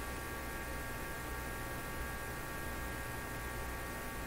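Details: RCA Victor A38 shortwave tube radio after replacing its IF-stage paper capacitors: steady low hum with a buzzy edge and no station audio, because the input push buttons were left on phono.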